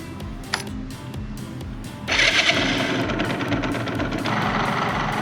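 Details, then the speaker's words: Restored Yamaha RZ50 two-stroke: raspy buzz climbing sharply as throttle opens, pulling cleanly into high revs, power band around 7500 rpm; engine healthy. "Dải công suất khoảng 7500. Với Jump chính hãng, tôi cảm thấy nó có tốc độ thấp tốt."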